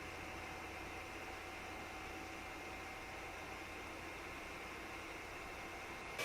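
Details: Tronxy X5S 3D printer hot end cooling fan after replacing the whiny stock fan with a Noctua NF-A4x10 FLX. Microphone about six inches away, printer idle and not heating. Soft steady airy hum, much quieter, with no whine.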